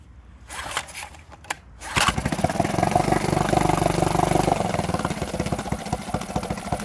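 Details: Honda BF5A 5 hp four-stroke outboard, not started for two and a half years, carb primed and new fuel line fitted: a few pulls and catches, then a steady, even idle with a fast regular beat; normal running.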